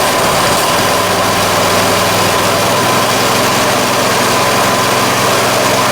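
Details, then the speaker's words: Coleman 196cc mini bike, previously locked up, idling while the owner checks for a feared rod knock. A loud, steady single-cylinder putter with an even beat and no knocking; it sounds healthy. "We'll let it idle first because I don't want to blow anything up in case it does have a rod knock, and we'll find out. It sounds okay to me."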